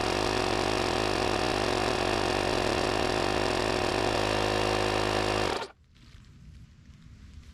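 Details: JFEGWO 6000A jump starter's built-in tire inflator set to 26 psi in car tire mode, inflating a very flat tire: even, fast-pulsing compressor chatter for about five seconds, then clean shutoff; normal running.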